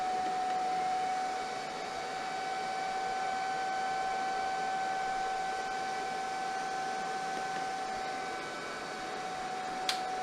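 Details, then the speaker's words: DIY ammo-box power supply with XY6020L regulator and no fan control, at 30 V delivering about 450–500 W into loads: constant airy rush with a steady high whine holding pitch; fan running flat out under load as normal. "And another thing that I have to tell you on this demo is gonna get noisier, because this guy doesn't have fan control."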